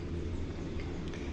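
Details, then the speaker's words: Yamaha XTZ 125 single at idle: low uneven thumping knock resembling a bad connecting rod, actually caused by a loose starter plate. "Ó o barulho que tava fazendo não era Bel galera simplesmente a placa de partida folga e dá um barulho uma sensação que a biela né um barulho estranho entendeu"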